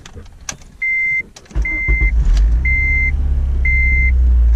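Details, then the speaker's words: Honda Civic Si, inside view of the engine after sitting a while: a few chimes, then the engine catches and rpm flares up, with a loose rattle on cold start; cause not pinned down. "Now I let the car sit for a little while. I'm gonna demonstrate to you guys inside view of the engine rattle."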